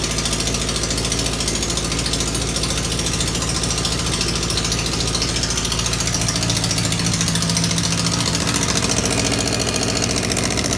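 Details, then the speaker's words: Honda CB600 Hornet F3 with heavily rusted exhaust studs, before repair: loud, rapid ticking chuff at every firing pulse; an exhaust leak at one header collector, with the copper gasket suspected, later traced to the pair valve link pipes. "very clearly as a massive gasket leak massive massive it seems like is only one of the collectors that is actually leaking"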